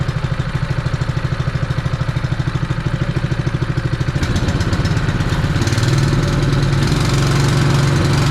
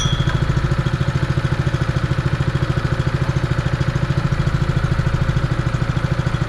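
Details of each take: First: Honda fire pump engine that had sat unused for over two years, idling cold after being revived: a small single-cylinder engine pulsing steadily, then picking up speed. Running rich; the carburettor could be dirty. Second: Honda fire pump single-cylinder petrol engine, sat over two years, still cold after repair: idles quietly and smoothly with an even steady beat around 160 a minute, no knocks or misses; sounds healthy.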